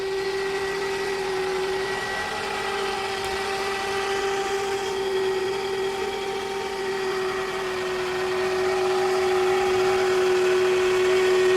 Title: sound of a bad alternator on 2004 Toyota Camry